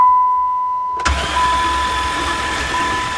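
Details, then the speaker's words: Hydrolocked van with intake manifold off and all spark plugs removed: starter spins the engine fast and smooth with no compression pulses, blasting water out of the cylinders; starter motor good, possible bent rods or cracked pistons not yet ruled out. "well that's what the engine sounds like with no compression at least the starter motor is good"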